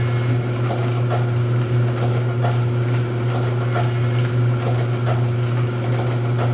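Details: Rosback 250C (318) 3-knife trimmer with CueFeed feeder, new DC controller fitted, delivery not running so books caught by hand: steady low drive hum with a soft knock every two to three seconds per book; normal trimmer running cycle.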